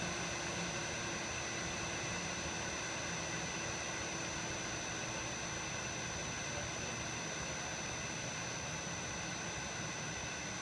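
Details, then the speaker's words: 5 HP variable frequency drive on 460 V controlling a centrifugal pump for pressure, discharge choked toward dead head: steady, even hum and smooth hiss as the drive slows the pump to lower hertz; running normally. "and you can hear the vfd slowing down so it seems to be working just fine"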